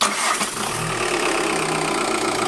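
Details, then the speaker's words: Audi A3 Sportback 2006, idle after replacing the worn dual-mass flywheel and clutch; the intermittent clac-clac at idle is gone, now a steady, even low hum with no clacking or knocking, confirming the old flywheel was tired. "là on entend plus le clac clac clac clac donc c'est bien le volant moteur qui était fatigué"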